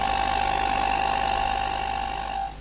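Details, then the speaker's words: Tube radio with its power and speaker transformers removed, run through an external speaker transformer and speaker, capacitor C19 (22k) removed. IF signal injected at the antenna while sweeping the RF generator: a steady test tone reaches the speaker but sounds weak. "varí la frecuencia del generador de radiofrecuencia y veo que la señal débil pero se transmite al altavoz"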